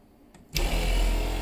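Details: Tiny-house rainwater PEX (RV-style) plumbing: pump switched on to pressurize the line, steady low motor drone with no sign of water flowing; nothing reaches the line, likely air-locked, pump running without delivering water.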